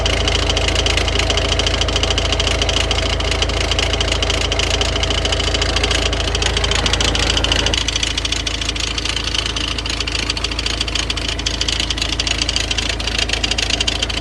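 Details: Idling engine with a damaged crankshaft pulley vibration damper whose two halves knock against each other, making the belt tensioner move excessively; quick, fairly steady knocking at about three beats a second over the running noise.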